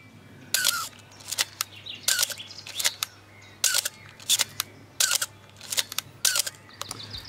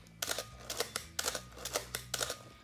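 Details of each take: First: Canon AE-1 Program/A-1 camera, five shutter releases: each sharp clack carries a brief high squeal from the mirror mechanism, the known squeak issue this camera is being opened to fix. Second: Canon AE-1 Program/A1 after the mirror-box squeak fix with a few drops of oil: three crisp shutter releases, each a quick clack-clack of mirror and shutter, with no squeal afterward. Normal shutter release.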